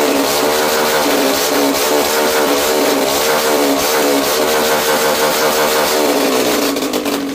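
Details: Small engine fitted with a carburettor replacing a throttle body/injector, on 20% ethanol petrol: buzzy revving note that wavers and stumbles instead of holding steady; intermittent misfire, owner blames carb overflow, mismatched wiring and ethanol, unconfirmed.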